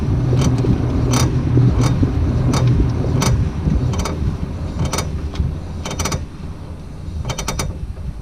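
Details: 2002 Ford Focus Mk1 estate driving: sharp clicks in irregular bursts, some in quick clusters, as the car rolls. The cause is a bad CV axle joint.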